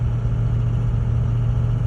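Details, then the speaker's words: Ford 6.0 diesel truck pulling a light trailer: deep, flat drone that never climbs with the pedal down, almost no boost, barely moving; clogged exhaust back pressure tube; no boost, bogging. "Listen to this. Hear that? I just took my foot off the gas real quick. But now, look at the boost. Boost is like nothing."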